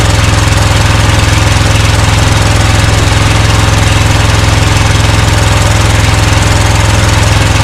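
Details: Scag Cheetah mower with Briggs & Stratton Intek V-twin (from a Craftsman): steady low ragged thumping about three beats a second, one cylinder misfiring; left carburetor side likely sucking dirt past the air filter, carb replacement planned.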